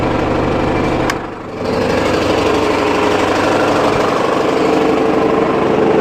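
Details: Mitsubishi 4D56 diesel at idle, knock near cylinder 4, appeared overnight with no warning: hard repeating knock about three per second over the clatter, cause unknown. Knock at idle.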